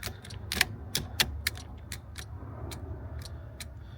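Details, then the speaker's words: Nissan 240SX S13 (SR20DET) with wiring fault: with key on, headlight relay chatters in irregular sharp clicks, about a dozen in four seconds, while cluster and accessories get no power; engine not running. "So, that's the that's the headlight relay that you hear clicking. But now keys fully turn for when you crank it. And I'm getting nothing."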